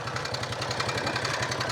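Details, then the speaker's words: 2004 Honda Rubicon 500 ATV, 347 hours and 886 miles: sharp, regular ticking knock over the idle, keeping pace with engine speed; coolant is smelled and seen dripping; mechanical knock of uncertain source, cause not confirmed. "that does not sound good at all."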